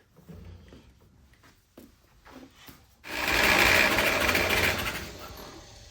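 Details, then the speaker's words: 1946 Willys CJ2a four-cylinder after 40+ years sitting, compression test: brisk, even cranking at three to four beats a second with no weak strokes. Cylinder 1 is about 95 psi and cylinder 2 about the same; compression is even and good. "Well, 100 would be in between, and it's not quite under, so I'm going to call it 95. Okay. Which is damn good."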